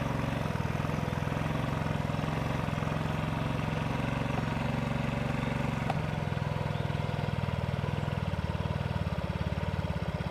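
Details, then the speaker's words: Yamaha Vino 50cc scooter running with its original very dirty air filter: low, uneven single-cylinder buzzing that never picks up, bogging and dying; stalling caused by the clogged air filter. "dying boom he dies just from that air filter"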